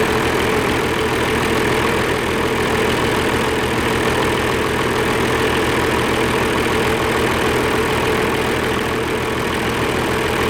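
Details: Oliver 1550 diesel tractor in neutral after injector work: steady idle, even low thrum near two beats a second, no misfire; energy cell heating, exhaust clearing, cheap Stanley muffler fitted.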